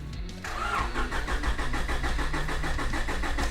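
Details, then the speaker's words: 1990s Honda DC2 Integra SiR-G, abandoned 7 years, main relay working: strong, even cranking at about three beats a second that never fires; no spark at the plug, all signs point to a dead distributor. "You can hear it just cranks super hard, super healthy, but when I inspected it before, there was no spark at the spark plug. So basically all signs point to a dead distributor."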